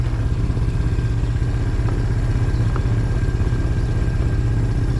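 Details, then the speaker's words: Suzuki Quadrunner 250 (Ozark) ATV revived after about 7 years in storage, idling in first gear: steady low single-cylinder thumping at an even beat, no misses, knocks or rattles; shifts smoothly, no clutch adjustment needed. "pretty good be a nice little trail buggy spider she's moving she's smooth she's shifting nice and smooth"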